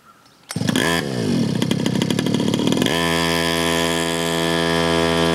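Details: 47cc two-stroke mini pocket rocket bike, first start after reassembly, no fuel leaks: fires after half a second, buzzes up through revs, then settles to a steady high ringing drone; running fine.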